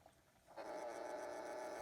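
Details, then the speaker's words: Vintage plug-in kitchen clock with smooth action, no ticking: a faint, steady, smooth synchronous motor hum, running as it should. "you can hear the motor but smooth action I love the plug-in clocks with the smooth action"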